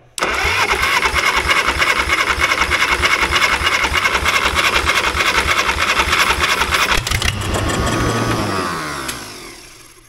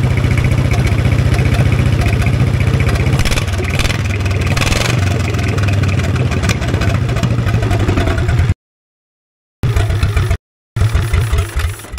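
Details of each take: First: 1960s Caterpillar pony engine cranking with full choke: steady cranking about three turns a second for seven seconds, never fires; spark present but no fuel drawn through carburetor, needing teardown. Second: 1960s Caterpillar pony (starting) engine just after carburetor cleaning, running at mid throttle on a roughly 30-second run, not yet warm: steady even firing around 220 a minute with no misses; runs really good.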